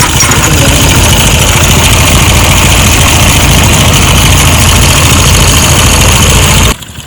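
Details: Motorcycle engine at idle: loud, uneven idle with a rough chuffing beat around three a second before it cuts off; engine noise, cause not clear.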